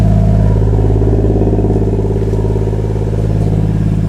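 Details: 1JZ-VVTi MK3 Supra after a no-start was cured with a new MK4 fuel pump, run briefly without coolant to check for fuel leaks. A strong, steady low exhaust beat settles into an even idle without misses: a normal idle.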